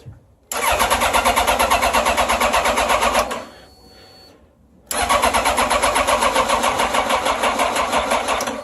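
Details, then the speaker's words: Yamaha FJR1300 ABS motorcycle: two bursts of fast even starter cranking, no firing even with a little throttle; cranks but won't start, cause unconfirmed (bad starter suspected). "it won't start. But if I give it a little gas, nope."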